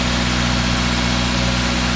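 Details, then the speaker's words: 2014 Subaru Forester 2.5L after the engine was reinstalled, idle relearn not yet done: a smooth, even, quiet idle drone with no knocks or ticks, slightly high idle; sounds healthy. "blowing the smoke off that exhaust [Music] or lean forward that sounds good sounds quiet"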